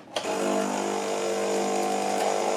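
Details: 2007 Nivona NICR610 espresso machine, 16 years old, worn buttons: harsh, steady buzzing whirr with a strained gritty edge while the brew drive runs; seized brew-unit gearbox binding, later regenerated along with a drain valve replacement.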